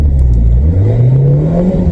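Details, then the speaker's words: 1997 VW Vento (Mk3 Jetta) automatic after fluid and filter service: engine pitch keeps climbing under steady throttle with no shift; the gearbox won't take third without redlining, same as when bought. Cause not found. "No, it's not got third. You can drive the car if you don't mind redlining it every time you want to change up a gear above third or fourth into fourth."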